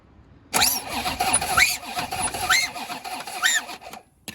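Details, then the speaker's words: Corvette C4 ZR-1 V8 under restoration, first crank test: starter turns the engine with an irregular, lumpy rhythm of chirps and whirs, about one surge per second; poor sound blamed on masking tape left on. "you know why it didn't sound very good it's because the masking tape's on this right"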